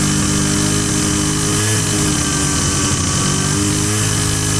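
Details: Husqvarna 122C two-stroke string trimmer that only ran choked and bogged, now with fresh fuel and air filter cover refitted after repair: smooth, even buzz at steady speed, no surging or bogging; running cleanly.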